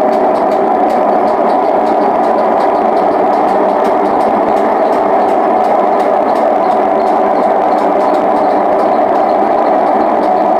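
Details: Hotpoint WM74 washing machine at full spin: constant loud rushing roar like a passing train from worn drum bearings, which need replacing again.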